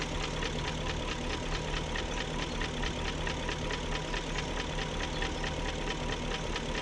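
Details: 2001 BMW E38 740i at steady idle after VANOS rebuild: fast, even ticking rides over the idle unchanged; persistent top-end tick, no codes, source still unknown.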